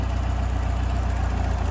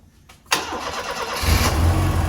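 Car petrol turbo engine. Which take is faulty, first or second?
first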